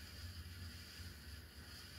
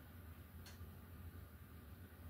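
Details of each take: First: 42-inch SMC U42 ceiling fan on high, running in the direction mostly used in service: low uneven rumble with a faint hiss, bearings much noisier this way; bottom bearing needs work. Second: 42-inch SMC U42 ceiling fan, after fixing bent blades and light kit, running on high speed: soft, steady low hum with no ticking, rubbing or grinding; bearings running quietly, normal.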